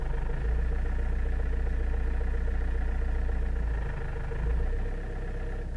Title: Avensis I strange engine noise at low rpm